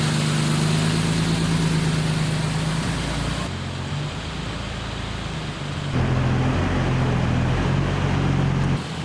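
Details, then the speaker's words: 1941 Lincoln Continental convertible V12 just after its first start on arrival; even, low burble rising and falling with small throttle changes, regular firing and no knocks; sounds pretty good, a little smoky, rings possibly to be checked; normal running. "anyway the old Lincoln sounds pretty good A little smoky but you know what that's nothing to set a Rings or we'll look at"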